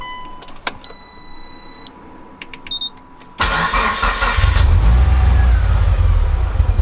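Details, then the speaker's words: Mitsubishi EVO on first real startup after fixes, clutch not yet bled; chimes, starter cranks, catches into low uneven lumpy idle at about 900 RPM, slightly improved; rough idle, cause not yet clear. "So as you can hear, it's a rough idle, but it seems to have improved a little bit. And it's sitting at about 900 RPM."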